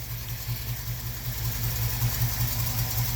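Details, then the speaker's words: Jeep CJ-7 AMC 304 V8, base timing 10°, vacuum advance just reconnected to full manifold vacuum, which smoothed the idle: a lumpy, rhythmic idle of about 2.5 lopes a second, steady and even with no knocks. It is a normal idle. "And we'll go ahead and give her back all that nice manifold vacuum. Oh yeah, smoothed her right out."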